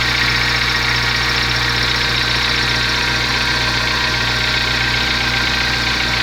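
Steady idle with a busy, hissy rattle riding on top and a loosely regular tapping; an abnormal idle noise, cause not pinned down.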